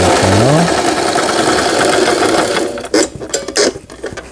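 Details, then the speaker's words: Brother XL5500 sewing machine after repair (damaged half-moon bobbin case, timing and forward/reverse fixed), sewing straight stitch: quick, even needle chatter about four a second, steady then stopping; runs smoothly. "이 옷감의 가장자리가 풀리지 않도록 해주는 기능이죠. 수리가 잘 돼서 이 기능도 정상 작동되고 있습니다."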